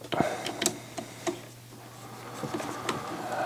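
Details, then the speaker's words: TEAC PD-H300C CD player: a steady low mains hum under handling clicks, suspected power-transformer buzz. The suggested fix is opening it and spraying the transformer with plastic spray (Kontakt Plastik 70) to silence it. "uh some Transformers are making this noise like more or so you can um open the screws and blowing in a plastic key a plastic spray and then the Transformers are silent again"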